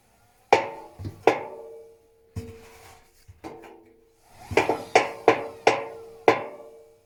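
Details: Techwood washing machine making sharp, uneven knocks with a hollow ringing in clusters, a few per second with pauses; cause unclear.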